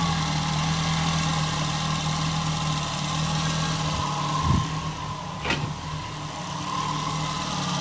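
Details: Nissan Altima, exhaust manifold crack checked for leaks: steady, even idle with low hum, no puffing or ticking from the manifold; engine sounds healthy.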